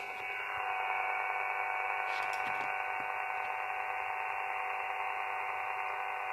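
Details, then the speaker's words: Elecraft KX3 RX IQ output connected to a Sound Blaster sound card line input, with the KX3 USB control cable to a MacBook Pro. Steady hiss with a fine whining buzz and faint ticking. The interference persists with any USB hub and goes away when either cable is unplugged. Cause unconfirmed. "that is interference and it doesn't matter if I use a USB hub like this one or another one I get that noise"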